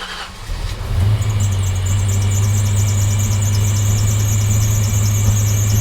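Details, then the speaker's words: SN95 Ford Mustang project car on restart: high thin slipping-belt squeal over a rough idle that clears up. There is also a slight misfire pop, which the owner believes is just spark plugs. "So as you can hear, it actually is not that bad. I know the belt was squealing and whatnot, but it clears up pretty good."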